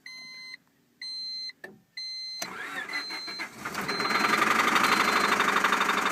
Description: Starting a 1998 Honda civic that has a severe rod knock.